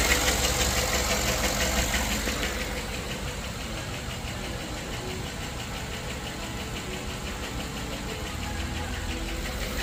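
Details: GM LS V8 idling unevenly with a light regular tick about three a second over a stumbling beat; misfire isolated by commanding cylinders off via PCM, caused by a collapsed lifter.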